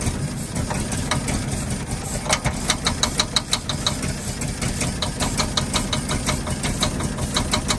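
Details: 1948 Ford F-5 ice truck, not run in 45 years, rough uneven idle after first start with sharp ticking pops about three a second; number six lifter believed catching on spring, not a bearing knock.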